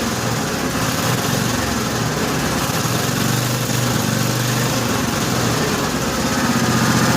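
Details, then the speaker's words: 1955 Cushman Truckster after the fuel line was blown out with a long nozzle, idle setting unknown; steady, even single-cylinder putter idling low with no misses or knocks, no smoke, quiet through a homemade EMT-conduit exhaust: running clean and healthy. "She doesn't smoke. It really does sound really good. That engine's quiet as could be. The exhaust note isn't bad either for the exhaust system I have."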